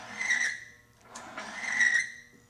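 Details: Power steering fluid on a Timken bearing friction test rig with a fresh bearing, hit hard under heavy load: two sharp high-pitched squeals rise and fade as the bearing smokes. The lubricant film has broken down into metal-on-metal contact, leaving many metal shavings.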